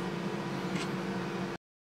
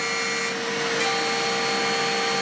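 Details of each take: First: DIY milling machine with 4-pole spindle cutting C45 steel with solid carbide HPC cutter, about 500 W cutting power, DOC 7 mm, WOC 0.9 mm: steady even low hum with smooth cutting hiss, stopping abruptly; clean cut, no chatter. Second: DIY milling machine with a 4-pole spindle cutting C45 steel using a solid carbide HPC cutter on the final milling path: a steady high-pitched chatter scream over spindle hum. Suspected cause is the cutter's outer edge running exactly along the workpiece edge; climb milling also showed vibration.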